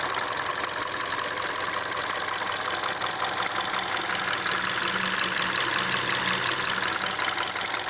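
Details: 2012 Hyundai Solaris 1.6 automatic, 130,000 km, fully warm engine: quick even light knock about three per second at idle, louder with oil and coolant at 80°, fading at 100° oil; owner suspects piston slap.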